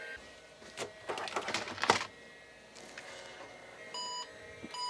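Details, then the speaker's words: IBM PC XT 5160 after fixing no-power fault blamed on shorted tantalum capacitor: burst of quick clicks and buzzes as floppy drive seeks, then a short clean POST beep; passes self-test, working. "that sounded good i was over grabbing the rgb to hdmi here to hook it up yeah it seeked on the floppy drive so yep working"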